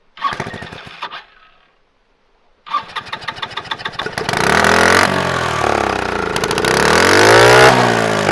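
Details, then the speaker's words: Scooter-engine reverse trike, sitting for years after a crash, on a block: hand-choked start fires and races fast and steady without dropping to idle; throttle almost wide open, owner suspects something rusted up. "that is Just a Touch Too Much throttle a little bit more than what I want to uh uh have to work on it it's kind of uh almost like it's wide open or something"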